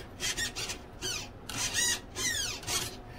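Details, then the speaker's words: Delta Force 35 mono hull RC boat, servo installed driving the rudder: short high whirring bursts rising and falling as it sweeps back and forth, smooth, no binding or grinding; normal servo operation. "see the servo arm working all right"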